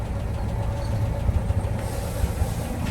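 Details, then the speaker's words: 1948 Land Rover Series 1 80in, warm idle: low steady even thrum with no miss or tapping; audible extra noise is just the bonnet vibrating, runs like a little sewing machine. "that noise you can hear is just the uh the bonnet vibrating really does run like a little sewing machine"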